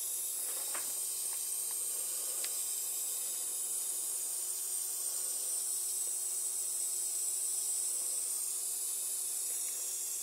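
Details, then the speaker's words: MFJ-4275MV power supply, powered: a steady high-pitched frying sizzle with faint crackles from the small electrolytic capacitors. Identified as bad capacitors. "see if we hear exactly where the um uh frying eggs are coming from inside this beast of a power supply"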